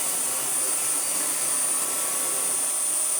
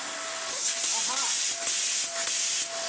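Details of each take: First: Vax Air Pet U88-MA-SE upright vacuum, stored in a shed about two years, first run before refurbishment: steady high roar with a faint regular flutter about four times a second as the brush roll wobbles; it sometimes temporarily re-centres itself. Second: Vax Air Pet U88-MA-SE upright vacuum, long stored, before refurbishment, with bin refitted properly: strong steady airy rush with faint motor tone, easing briefly as the head moves; good suction.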